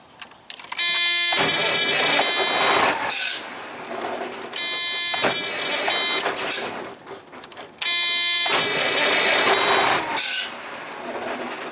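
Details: Truck with a hard-starting problem, after cleaning several bad ground connections: three strong cranking bursts of about two and a half seconds each, steady starter whine, no dragging or clicking.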